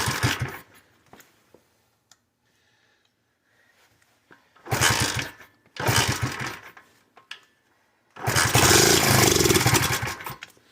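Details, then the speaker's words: KC Pep Boys pit bike that sat 3+ years, run on carb cleaner as starting fluid: it catches in short one-second bursts, revs briefly and dies each time. A fuel delivery problem is suspected, and the brittle fuel line is checked. Fuel starvation. "Died out on us. I guess half choke it, see if it'll start. And say if it fired up, it's probably a fuel delivery problem at this point."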